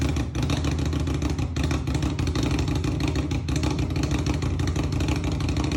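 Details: Indian Scout Bobber fuel-injected motorcycle starting in cold weather; uneven, stumbling low engine beat that never settles, hard cold starting, cause suspected not confirmed.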